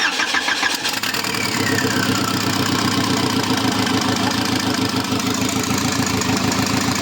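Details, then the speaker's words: Engine start on a project car after the sensor, found shifted 3–4 mm right and causing intermittent no-start, was adjusted; it catches cleanly and settles into a steady, even idle with a busy mid-range note; normal start. "Snímať sme si nastavili. No a už to konečne štartuje tak, ak má Mišo, kopni to."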